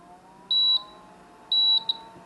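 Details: Agilent E3642A DC power supply, completely non-responsive, switched on while holding a front-panel button for self-test: two long high beeps about a second apart, then a short chirp, over a quiet hum; the VFD display driver IC has failed.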